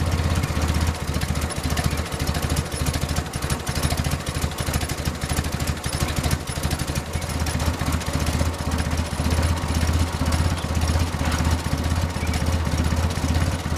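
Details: Willys Jeep after carburetor rebuild and reinstall with better fuel filters: low, even thumping idle holding steady, no misses or knocks; normal idle.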